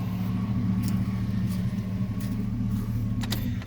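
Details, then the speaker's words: 2007 Silverado, LM7 5.3 V8, 282,000 miles, warm idle after adding Liqui Moly lifter additive for tapping: steady, even low rumble, hard tapping gone with only faint lifter chatter; runs better, oil pressure seems slightly up. "but i've noticed that my my truck is running i mean it just sounds like it's running better it seems like the oil pressure went up a little bit on it"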